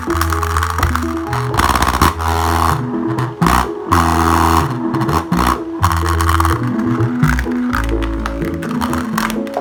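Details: Subwoofer after repair, voice coil reglued with sawdust and superglue and dust cap refitted, test playback: deep, full bass and clean mids with no buzz, rub or scrape from the cone; working normally.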